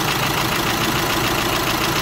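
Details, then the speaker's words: Volkswagen Amarok 2.0 diesel at idle: a fast, even light knock rides on the diesel clatter, steady at idle. The engine knock was traced to a worn connecting rod small-end bushing, requiring an engine rebuild. "o barulho desse motor mostrado era bucha de biela mostrado"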